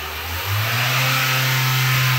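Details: Opel Corsa C/D 1.2 petrol engine revs after repair (previously camshaft sensor fault, water in oil giving paste-like oil, misfire, cracked manifold); picks up smoothly, steady even pitch, no stumble or popping, runs clean: healthy revving.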